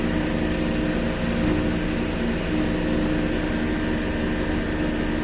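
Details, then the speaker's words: Large Goodman condensing unit running: steady, even fan whoosh over a smooth compressor hum, no harsh rattle or buzz, echoing off a wall; sounds healthy. "You definitely hear it, but it's not like a harsh rattle. So it's not hard on the ears. As soon as you get like 15 feet away from it, it doesn't seem bad at all."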